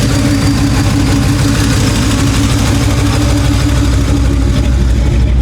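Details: Ford 302 V8 running after a head gasket replacement, carburetor still needing tuning; loud, deep burble at idle with a slightly uneven, lumpy beat: rough idle.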